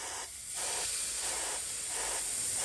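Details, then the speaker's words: Carburetor accelerator pump passage, blow gun test while a finger covers the side: sharp air hiss dipping and returning about every half second. The sound difference confirms an open, clear passage. "can hear that difference when I take my finger off it's telling me that I got a clear passage"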